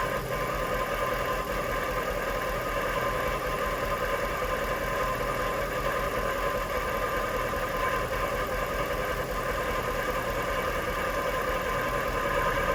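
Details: Jaguar XK8 after Transgo pressure regulator valve and proper ATF: steady idle, in gear, with fast irregular metallic rattle from transmission area over engine hum; rattle not solved, source not pinned down.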